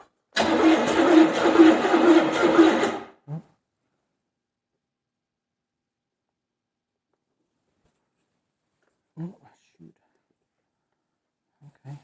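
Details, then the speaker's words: 1970 Buick Skylark 350 V8 with points, after pouring fuel in: about three seconds of rhythmic cranking, roughly two turns a second, never catches; cranks but won't start, cause suspected, not confirmed. "no that's totally wrong is supposed to run that's kind of also why i bought the car because it was supposed to i mean i knew it was all apart but it was supposed to run"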